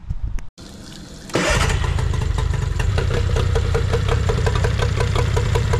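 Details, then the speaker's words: Nissan 18 hp two-stroke outboard after fixing a too-open throttle butterfly and turning the idle air mixture screw about an eighth turn: catches and settles into a steady even putter; idle properly set. "and so by tweaking that to the right settings by moving it about eighth of a turn and just finding the sweet spot where it was idling right I was able to adjust this to get the idle just"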